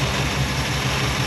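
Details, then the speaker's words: Chevy C10 pickup with rebuilt engine after valve adjustment for a valvetrain knock, half valve cover fitted; smooth, even idle, quiet like a sewing machine, no ticking; one lifter likely was too tight; normal idle. "I am honestly not hearing it really at all"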